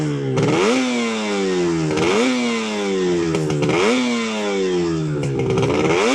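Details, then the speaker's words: Fully restored 1983 Yamaha RD250LC, rebuilt engine, original silencers, slightly warm, revved at standstill: crisp blips climbing and dropping cleanly about every 1.5 seconds, even crackling two-stroke note, no misfires; slight kickstart rattle, smooth healthy running. "And very smooth engine as well."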